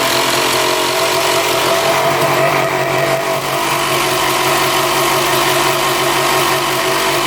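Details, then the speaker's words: 1995 Honda CR250 two-stroke idling loud and even while brake cleaner is sprayed around intake boot and manifold; idle stays consistent with no surge or dip, so no air leak; bog cause elsewhere. "yeah so I don't think it's an air leak we went around all the spots and uh the idle stayed pretty consistent"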